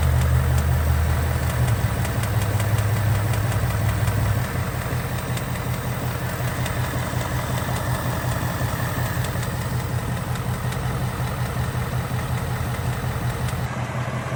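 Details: Ford Mustang GT Coyote V8 idling with a fast, uneven light tick over the rumble, about two to three per second; owner suspects rocker arm or timing chain guide, mechanic doubts pistons; valvetrain tick, cause unclear.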